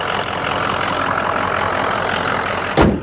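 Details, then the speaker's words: 2004 Ford Excursion Limited 6.0L Powerstroke diesel 4WD with head studs, 186k miles, recorded under the hood at idle; steady, even diesel clatter with a little belt squeak from detailing spray, no puffing or blow-by; normal healthy idle. "It's got a little squeak from the belt. That's because it's been detailed. My detail guy put some kind of spray on it. No blow by."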